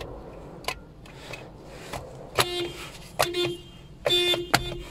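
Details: Toyota whose horn sometimes failed with the steering wheel straight, after replacing the spiral cable in the steering wheel: a few short, clean horn blasts that sound instantly. Horn now works normally.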